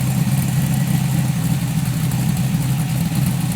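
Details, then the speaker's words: 1978 Datsun 280Z with swapped 5.3 LM7 V8, Texas Speed 224R cam, 4L60E automatic with 3200 stall converter, just started: deep, choppy, lumpy but steady idle with some cam lope; healthy. "start it up hear what it sounds like [Applause] a little bit of a cam look to it"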